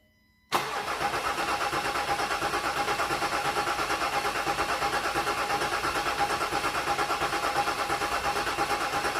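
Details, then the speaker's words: Range Rover Sport 3.0 TDV6 diesel, first start after engine rebuild: steady even cranking about three turns a second without firing; fuel system then bled and it later ran; cause unconfirmed. "Crank it. Okay, she runs, but we've got a bit"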